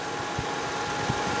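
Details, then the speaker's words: Toyota Vios Limo Gen3 ex-Blue Bird taxi, after replacing a faulty temperature switch, engine revved as if driving: steady airy rush with a faint constant hum over a quiet idle. The radiator cooling fan now switches on and temperature holds steady. "Nah, kita gas ya seperti di jalan gitu ya. Ya teman-teman, udah nyala ya. Ya teman-teman, ini nyala ya kipasnya."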